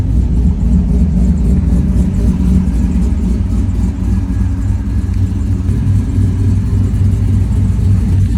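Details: 4th-gen F-body: deep, loping idle with an uneven stumbling pulse a few beats a second, an engine misfire.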